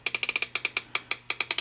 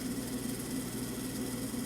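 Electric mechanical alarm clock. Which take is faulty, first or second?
second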